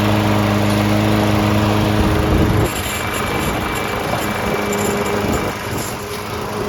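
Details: Lawn Boy 20-inch self-propelled mower after carb cleaning (the no-start was blamed on a badly oil- and dirt-soaked filter): the small engine fires and settles into a steady, even buzz with no misses or surging; runs clean.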